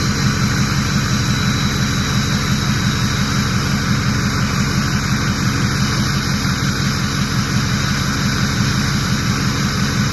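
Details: Ford 6.0 diesel with VGT reading stuck at 0.84, warming up: steady run under a smooth, even turbo whoosh with no whistle, scrape or surge; normal turbo spool.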